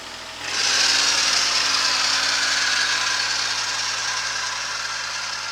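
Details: Kubota SL28H tractor diesel with KLH350-PSL loader, snow clearing at 4 km/h: engine catches, then loud shrill squeal over the diesel that slowly fades; loose alternator belt tension, fixed by adjusting the belt.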